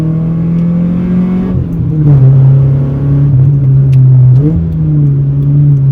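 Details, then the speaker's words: Honda Civic EG with B18C2 engine on first drive after clutch line upgrade, stock exhaust: loud, deep roar rising and falling with revs under throttle, from a massive exhaust leak. "So as you can tell, the car is very loud, but that's not because it's got a modified exhaust system or anything. It's actually got a massive exhaust leak instead."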